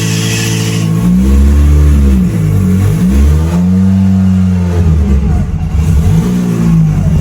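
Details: Mitsubishi Evo during build before dyno prep, first start attempt with fuel pump on and fuel pressure up; catches after a short crank, settles, then revs rise and fall cleanly without knocks or misses. Normal start and revving; alternator not holding voltage.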